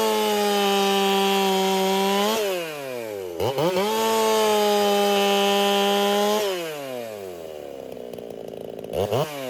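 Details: Racing-build chainsaw, either a Dolmar 7900 or a Holtzfforma 395, tuned noticeably fatter, which the owner fears may cost power. Strong, steady high-pitched scream through two cuts, dropping cleanly between; revs hold even under load, normal running.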